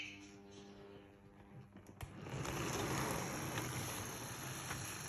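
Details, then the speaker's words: Model loco reversing slowly past points on a very old DC controller. Steady low electrical buzz at low throttle, then a louder rushing run as throttle increases. "Remember, we're just running it on a DC controller, and it's a very old DC controller. You can hear that loco buzzing."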